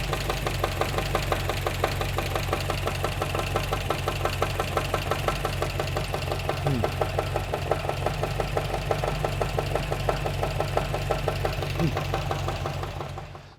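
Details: 1954 MG TF, new owner reports a recent engine noise; sharp, steady ticking knock about three per second over an even idle, constant throughout; mechanical knock somewhere in the engine, cause not yet diagnosed.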